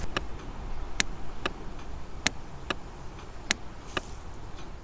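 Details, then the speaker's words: Volvo with crank-no-start and no engine ECU communication, mic by the engine main relay: sharp dry clicks, about seven in five seconds, each time the trigger wire is grounded; relay switches normally and wiring proves good. "So hopefully you could hear that. You can hear the relay clicking."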